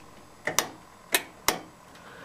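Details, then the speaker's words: Craftsman lawn tractor, key on, engine off before first cold start of the season: sharp irregular metallic clicks, about four in two seconds, from the electronic fuel shutoff solenoid; normal solenoid clicking. "this has an electronic solenoid on the um the fuel shut off down here you can hear"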